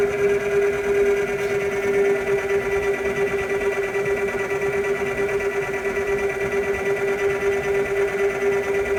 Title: Strange noise from OTTO AP155 file no.2